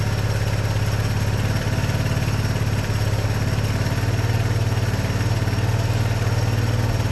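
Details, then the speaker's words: 1982 Honda ATC 200 Big Red three-wheeler, refurbished after years of storage: a steady, even, quiet low putter with no knocks or misses. A normal idle. "But so far it runs nice and quiet, doesn't. That's pretty good, actually."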